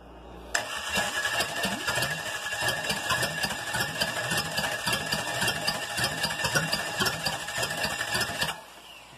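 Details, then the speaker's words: Chevy 305 V8 on a starter, first start attempt in years with the battery running down. Starter churns steadily, about four compression beats a second for eight seconds, and never catches; no fuel in it, cranking with no start. "no gas no gas well you didn't fill it up well next time"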